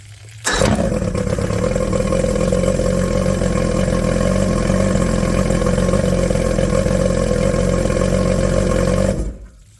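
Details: Johnson 115 HP outboard first run after new piston and rings, before break-in timing and throttle sync: catches and settles into a steady, even two-stroke drone with no knocks or misses; a leaking primer solenoid was found afterwards.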